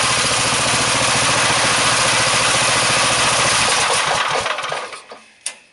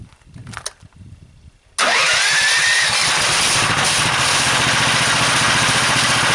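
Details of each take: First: Small single-cylinder engine driving a DC generator at a 3:1 pulley ratio, output at 38 volts: it thumps along steadily, then sags and dies within a second of the power switch being thrown. It bogs under the alternator load. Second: Engine driving the PMA, about 930 RPM and 15 volts: it catches after about two seconds and settles into a steady run with a hissy whine. The whine comes from the PMA with extra magnets and epoxy and is harmless; slight lugging.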